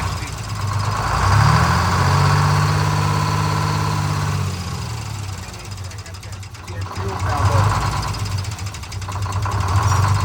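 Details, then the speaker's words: A Detroit Diesel 6-71 in a 4104 bus, being flushed with repeated oil changes after heavy coolant contamination of the oil, idles with a rough drone that swells and sags. The idle is hunting, and adjustment is deferred until the oil is cleared. "yeah for idle just got that hunt but I don't want I don't want to adjust that until we get all cleared out of there"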